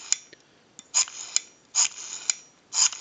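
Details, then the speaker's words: Northern Electric 302 rotary desk telephone, rotary dial tested on an analyzer before reinstalling in the cover: quick ticking pulse trains ending in smooth whirring returns, three even spins with crisp clicks; numbers register properly, normal dial return. "have a nice smooth return and our numbers are racking off properly"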